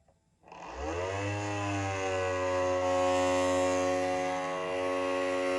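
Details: Matterport Pro3 camera: small motor spins up within a second into a loud, steady, buzzy whine; suspected VDrive (lidar mirror motor) problem, not confirmed, possibly needing service.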